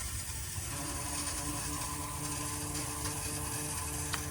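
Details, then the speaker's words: 20+ Ford F-350 Powerstroke dually after SPE Motorsports fuel filter kit install, key-on priming, engine off: steady buzzing ratcheting lift pump hum, quieting as air clears and the new filters fill with fuel. "I mean sounds like the filters are filling up I guess got enough fuel in so quite down a bunch"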